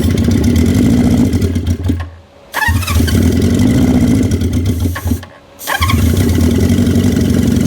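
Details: 1973 Honda CB350 Four, throttle a little sticky: four-cylinder drones steadily, cuts out briefly twice and picks straight back up; the engine now runs on its own.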